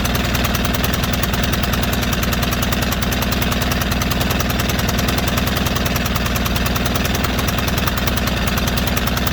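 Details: White Outdoor LT542G riding mower twin in a cold shop, running rough, drinking gas and putting fuel in the oil: it chugs unevenly with an irregular, lumpy beat and no steady rhythm. The carburetor main jet was found missing.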